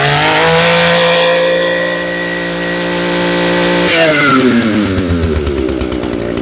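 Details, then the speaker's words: Echo PE225 two-stroke edger, after fuel line and carburetor replacement, warmed up: steady high buzz held at full throttle while the high-speed mixture screw is adjusted by ear for peak rpm; pitch shifts, engine runs strong and clean. "all right we're going to start it up bring it to Full Throttle and then adjust as needed"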